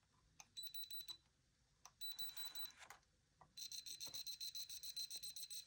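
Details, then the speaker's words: ColecoVision with a black-screen fault: a logic probe on the RAM chip lines gives a high steady beep, then a fast pulsing beep train showing switching activity, while another line stays idle. The owner still suspects the CPU is not working properly. "And you can see they kind of sound a little bit different, like this one. Yeah, that one's more fast-paced, but this one isn't doing anything."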